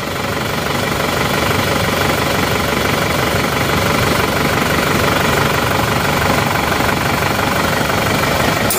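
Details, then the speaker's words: Isuzu D-Max diesel after repairs to several problems, cold morning start: steady, even idle with ordinary clatter, no hunting or shaking; normal diesel idle. "Oke hasilnya seperti ini sudah normal ini seperti biasa mesin yang normal tidak goyang-goyang hidupnya rata"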